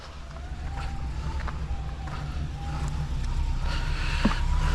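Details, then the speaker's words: Engine started on low battery voltage, low-voltage alarm on, at a mobile mechanic job in Alaska: uneven lumpy idle with wavering low rumble and irregular pulses, as at first start; rough running. "Sounds like it's running like [ __ ] Yeah, it was doing that when I started the first time."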